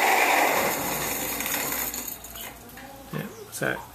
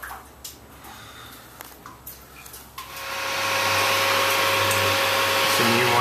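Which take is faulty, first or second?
first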